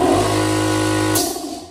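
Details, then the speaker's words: Small air compressor that struggles to start, shut off by hand at the pressure switch: the motor hums steadily, then cuts off with a short sharp hiss as the unloader relief valve vents the head line; normal release. "eu vou ligar e e escuta Na hora que eu apertar de novo para ele desligar ele vai fazer aquele"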